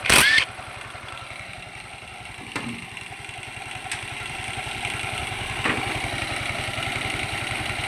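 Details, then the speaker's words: Yamaha Mio i 125 scooter engine after repairing knock caused by running low on oil: starts quickly, then settles into a steady, evenly spaced putter with no knock; normal idle after repair. "Inuno ko na siya. Medyo maayos na."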